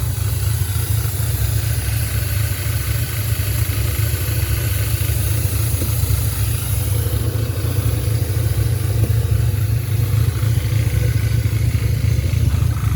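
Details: 2010 Audi A5 Quattro 6-speed manual, 2.0T CAE swapped for a 2015 CPM engine, 144,045 miles, first start after reassembly: uneven lumpy idle, stumbling beat about three per second; running with a misfire.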